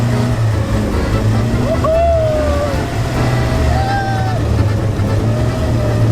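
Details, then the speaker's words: Van driven in snow in two-wheel drive while doing a donut: a steady, deep engine drone that swells and eases through the turn under load, even and unstrained. Normal running under load. "this thing sounds good sounds real good"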